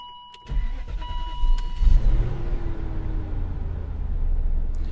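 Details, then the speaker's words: Cheap BMW X5, cold start after a blown fuse was replaced (it had earlier sounded rough): a brief crank, then a low steady idle with no chain rattle. A nice quiet cold start; the belts are slightly squeaky. "well that wasn't expected nice nice quiet cold start belts a little bit squeaky but not bad"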